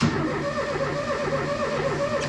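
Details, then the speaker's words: Ford Mk1 Escort with ST170 engine setup, engine cranks with an even rhythmic chug but never fires; cam and crank sensors and coil pack working, spark present after setting ECU cam pattern to none, fuel pump suspected not running. "the cam sensor is working the crank sensor's working obviously the call pack's working because you're getting a spark i can't need a fuel pump"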